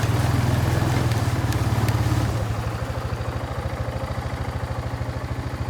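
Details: Kawasaki Bayou 220 barn-find ATV on test drive after carburetor cleaning, new battery, oil and air filters, straightened racks, rear right wheel bearing, seal and drum brakes: steady even single-cylinder thump easing into a regular rhythm; running really good, no issues.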